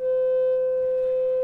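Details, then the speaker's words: Old single-ended 3W reel-to-reel conversion tube amp playing a 500 Hz test tone through its internal speaker: steady mid-pitched tone with a buzzy, edgy overtone; the speaker isn't screwed down, so it resonates and distorts. "now we're getting some distortion out of this thing because it's not screwed meinl turns down stop screw down so we're getting some resonance out of this thing"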